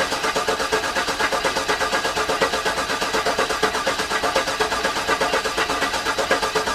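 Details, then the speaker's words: Garage-rebuilt GM LS engine in the car, first start attempt with the fuel pump not working: steady starter cranking with no firing and no oil pressure. The owner suspects the oil pump needs priming. "so i'm not getting any oil pressure in there so i'm thinking i may need to prime it which is unfortunate because that is a lot harder to do with the engine in the car"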